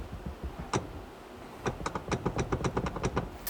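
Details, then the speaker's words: Volvo XC60, driving: sharp, uneven plastic-and-metal rattling clicks from the driver's seat over low road rumble; the dealer suspects a damaged or bent seat bracket, possibly with worn bushings. "yeah so as you can hear definitely not ideal but I was talking with my dealership and my service people think that the bracket might be damaged or it might be bent"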